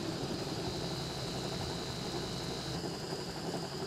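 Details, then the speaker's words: LG washing machine on the spin cycle after the gearbox bearing was repaired: a quiet, steady whir with a faint thin tone and no rumbling or grinding. It is very smooth compared with before the repair. "Oke, bisa kita dengarkan suaranya. Bisa sangat halus ya untuk rekan-rekan. Oke, bisa didengarkan seperti ini suaranya halus sekali."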